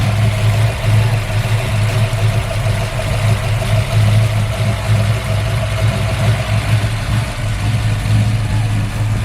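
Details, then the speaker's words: Built V8 with Comp Cams cam, MSD ignition, Brodix heads and stainless headers: deep lopey idle with a choppy uneven beat from the big cam, steady and strong; healthy idle. "All right, y'all, there she goes. She talking that yank. Yes, sir."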